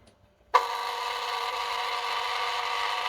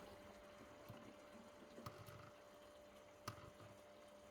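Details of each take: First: SUN SUN HBL hang-on aquarium filter pump with air-lock fault: loud, steady, buzzy rattle from switch-on with no low hum, as the outlet flow valve is opened too far and the pump draws air. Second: SUN SUN HBL hanging aquarium filter after fixing air-intake noise by turning down the outlet flow valve; quiet, even hum with occasional water drip, air rattle gone, pump now running normally.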